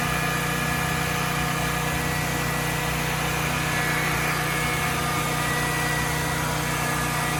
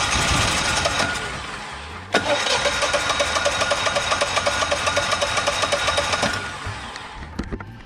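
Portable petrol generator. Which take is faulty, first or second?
second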